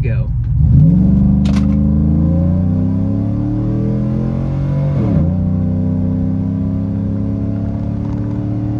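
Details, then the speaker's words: GM vehicle with 4L60 transmission during a custom-tuning data log: the engine pulls hard and climbs, then dips and flattens abruptly at the shift as big spark pull-outs make power lay over; torque management spark retard during the shift. "so I don't know if you can hear it in the video, but definitely there's definitely some pretty big spark pockets. Um, it kind of feels like the vehicle is just kind of laying over."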